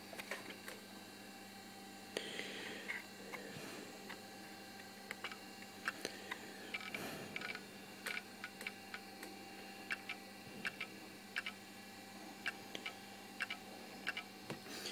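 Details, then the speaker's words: Toshiba Libretto 50CT laptop installing Windows 95 components: sharp irregular clicks about every second over faint fan whir; the hard disk is failing. "Now if you can hear that click, that does tell me that the hard disk is actually on its way out."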